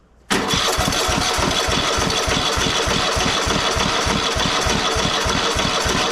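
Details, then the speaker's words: Cub Cadet XT1 LT46 lawn tractor after oil pan reseal, oil and fuel filter change: catches instantly then runs loud with uneven hunting beat about three pulses a second; governor needs adjusting; owner suspects valves out of adjustment. "Okay, as you see it started, but this governor needs to be adjusted."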